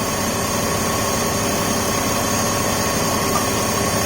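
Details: 2004 BMW 530i after PCV system replacement and reconnecting a knocked-off throttle body connector: steady, even hum over a constant hiss, no misses, knocks or ticks; check engine light cleared, idling smoothly.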